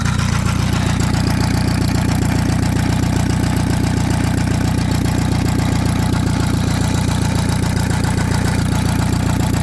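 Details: Antique Saxon motor car engine after about 30 minutes' running: fast steady idle pulsing about four per second with faint clatter up front; owner hears noise behind the timing cover, sounds like gears, will probably strip to check.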